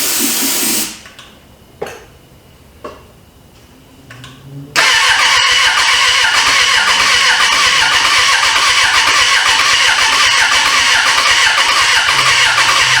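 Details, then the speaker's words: 1996 Suzuki GSF600 Bandit, first start after 14 years sitting, wiring fixed and carburetors cleaned: a few starter bursts with sputters, then it catches around five seconds into a rough, busy idle; owner suspects flooding or dirty, leaking carburetors; starter getting hot. "let me uh give it a little bit more shot still got gas in it carburetors are probably just flooding but it is trying to"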